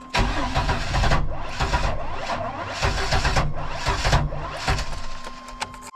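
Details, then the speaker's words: 1999 Chevy Astro AWD no-start after new cap and rotor, billet distributor, crank position sensor replaced with shims: starter churns fast then drags suddenly with pops, never catches; uneven cranking, ignition timing suspected, not confirmed. "man it's weird it's like not cranking over evenly"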